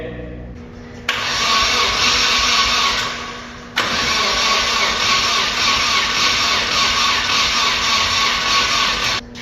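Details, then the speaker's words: 240SX with KA24DET engine, first start attempts after starter-engagement trouble, still grounded via jumper cables: two long stretches of even cranking with steady compression pulses but never fires; no spark suspected, unconfirmed. "I mean, it sounds like you're making compression, but there's no spark events."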